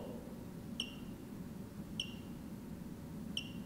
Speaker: move along the arch and stop you can hear the system clicking beeping every time it's taking a picture